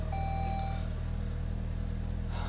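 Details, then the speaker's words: 2006 Saab 9-3 2.0T on a very cold start with oil over a year old: a few clear electronic beeps over a steady idle hum; dash warning for left brake light failure, bulb failing or socket fault suspected. "Left brake light failure. The brake's not even on right now. Oh, there is a bulb out."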